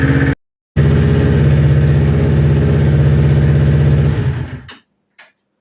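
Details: Newly built Kawasaki Ninja twin that bogged and stalled when warm, after ignition coil pack replacement: steady, even idle with no hunting before shut-off, consistent past the usual warm-up problem temperature; both exhaust manifolds about 258 °C.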